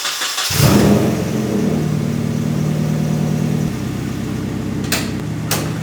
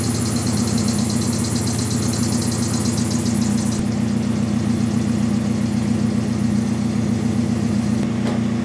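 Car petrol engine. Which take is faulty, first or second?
second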